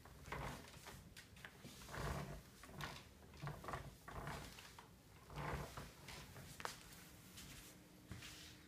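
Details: Herman Miller Embody office chair: irregular creaks and squeaks in bursts each time the chair shifts under weight. Chair squeak.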